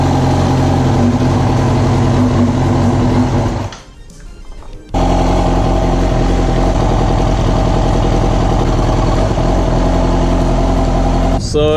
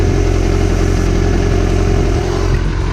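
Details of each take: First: Yamaha R6 at idle: lumpy uneven loping beat like a V-twin, also misfires pulling off in first gear; pulling coils 1–3 drops RPM or stalls, pointing to dead fourth cylinder, found to be a faulty ignition coil. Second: Yamaha R6 four-cylinder, warm at 216 degrees after a test ride with fan fuses removed: smooth, even, stable idle burble after a faulty ignition coil causing misfire was replaced.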